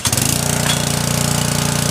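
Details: Small single-cylinder Briggs engine that surged and stalled under load, fuel-starved by a faulty carburettor needle, running after the carburettor repair: steady, even beat with no surging or hunting; sounds healthy and settled.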